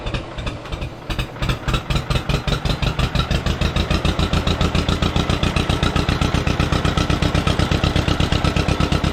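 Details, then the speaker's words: 1953 John Deere 40 first start after sitting for years, with a new rotor, choked and throttle slightly open: steady, even firing at about four beats a second, settling into a smooth warm-up idle; it later died. "Run pretty good. letting her warm up for a minute."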